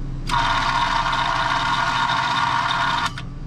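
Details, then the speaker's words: Commercial fresh air intake/exhaust fan motor starter: loud raspy buzz for about three seconds, then clicks as the contactor tries to pull in with apparent coil voltage but fails; suspected bad motor starter, possibly the motor. "oh there's the contactor trying to plunge in so it seems like coil voltage would be there and it's trying to start but it's not doing it"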